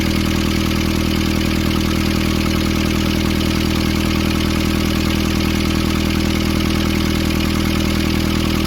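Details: Nissan Urvan ZD30 diesel after a no-start repair in which a clogged, soot-filled part near a sensor was cleaned and refitted: steady, even clatter at about three beats a second, no misses or hunting; healthy idle.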